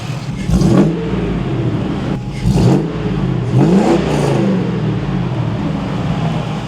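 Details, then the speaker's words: LS-swapped car after reinstalling the intake: several clean throttle blips, revs climb and fall smoothly back to steady idle with no misses or odd noises, engine sounds healthy. "what' you see sounds good sounds really good actually"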